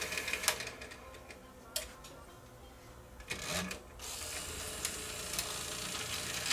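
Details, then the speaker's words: Sony EDV7300 ED Betamax, front-loading: faint whirring and scraping in uneven bursts from the loading motor; loading mechanism grinding and sticking, pinch roller not engaging. "I don't like that sound. That's That's a bad sound. That's trying to engage the the pinch roller, but it's not. It's sticking."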